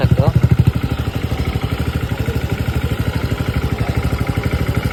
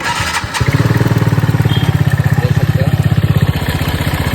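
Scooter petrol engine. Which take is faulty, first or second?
second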